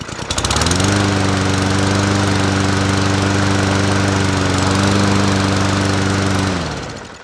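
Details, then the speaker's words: Toro 21-inch self-propelled mower, about three years old, after fix-up: starts first pull and settles into a smooth even drone for about six seconds before cutting off; healthy running. "starts first pull can't go wrong with that not bad for something that's 3 years old huh"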